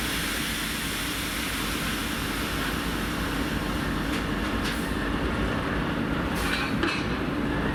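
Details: TEP70-0356 diesel passenger locomotive after a medium overhaul at Voronezh TRZ in November 2022, hauling a passenger train: a constant airy hiss with a faint steady whistle over the diesel rumble. Normal turbocharger whistle.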